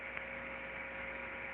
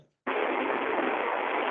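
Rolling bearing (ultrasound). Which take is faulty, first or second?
second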